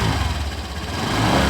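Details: Honda Vario 125 (2018–2019 new model) scooter: deep, coarse growl rising with revs, heavy low rumble; rough "ngorok" engine noise, worst at low RPM/initial pull, persists after shimming radiator cover, owner now suspects radiator fan; cause unconfirmed.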